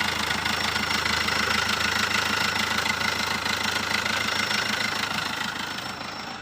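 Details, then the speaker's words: Chevrolet Spin 1.3 diesel, 138,000 km, just overhauled (second time) at another shop: a rough, uneven idle with a hard knock about twice a second. The radiator coolant is brown and rising, and oil is mixed with water. Engine knock after faulty overhaul. "Ini dapat kiriman dari Solo, overhaul, bekas mobil overhaul, tapi ini baru saja hidup sudah parah kayak gini."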